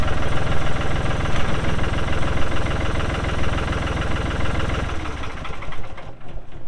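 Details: 1999 New Holland TN65S 4WD cab tractor with NH 33LA front loader, 4,162 hours, diesel at idle: steady, even clatter about three beats a second, then drops away as it shuts down; engine sounds good, normal idle.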